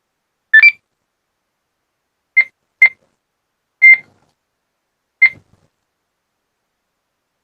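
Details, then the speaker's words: ICOM IC-86FX radio after front cover replacement, switched on and tested: clean short beeps near two kilohertz, undistorted and steady; the speaker and tones are working normally. "ดูว่าเสียงลำโพงดังไหมอะไรไหมนะครับเปิดเครื่องมีเสียงเรียบร้อยนะครับไหนลองเทสหน่อยสิ"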